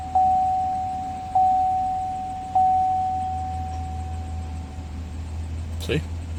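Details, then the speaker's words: 2018 Chevrolet Tahoe after repair of a no-start/no-crank (clicking like a dead battery), caused by a starter relay fuse shaken loose on rough roads; fuses reseated, three warning chimes, then a smooth steady low idle with no clicking or stumbling: normal start and idle. "i pushed them all in and it started up no issues whatsoever and i will start it now"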